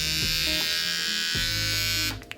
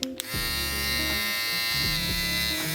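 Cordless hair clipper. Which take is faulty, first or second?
first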